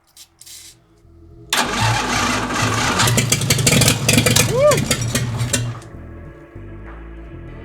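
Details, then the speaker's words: 1952 International L130 rat rod, stock engine sitting for years, points cleaned, fuel off, no exhaust fitted: a few slow cranks then loud unmuffled roar about four seconds on starter fluid; it fires. "All right. It works. Oh my god. Yeah. No exhaust, by the way. So, it's going to be super loud."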